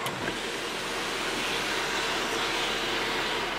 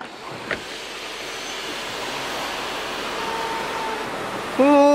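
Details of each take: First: Audi A6 C7 sunroof after overhaul and cleaning: glides open with an even soft hiss, no squeak or creak; the earlier squeaking during operation is fixed. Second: Audi A6 C7 sunroof operating: steady hiss of the motor, then a sharp, sustained high squeal as the panel moves. The squeak was gone after an overhaul and cleaning.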